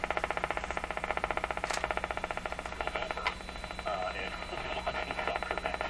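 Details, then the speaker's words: Canadian General Electric C701 console radio after tube testing and bench alignment, tuned to an AM station: strong, steady audio over light hiss with no fading or squeal; normal reception, receiver well aligned. "there it is a very good indication that the radios align quite well"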